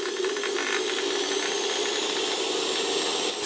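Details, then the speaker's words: Century-old interwar Electrolux VII vacuum motor, reassembled after its Austrian STEYR 22x7x7 mm bearing lost its inner race and probably ran the rotor crooked: steady hum with loose irregular rattling at low speed, smoothing as voltage and revs rise. "na początku na niższych obrotach słychać jakieś klekotanie ale jak podniosę napięcie i zwiększą się obroty to już dalej działa całkiem okej"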